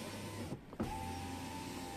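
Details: Tesla Model 3 window that squeaked in rain, after silicone lubricant applied to the glass and seal strip: smooth, even motor whir, glass stops cleanly with no squeak or rubbing; normal power window operation.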